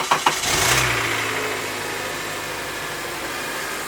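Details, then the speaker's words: 2007 Acura TSX 6-speed manual, freshly reassembled after maintenance, new Valvoline 5W20 oil, first start: a couple of quick cranking pulses, catches at once without hesitation and settles to an even idle; normal engine start. "And started basically not much of a hiccup. Without hesitation."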